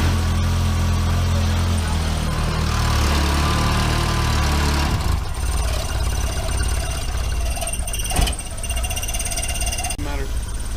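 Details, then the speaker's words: Mk1 VW Rabbit 1.7L after catalytic converter delete with roughly welded pipe: loud raspy idle with uneven ticking puff over the low rumble; exhaust leaking at the fresh welds. "it definitely still has some leaks in it so I'm gonna start it up and we're gonna see how bad"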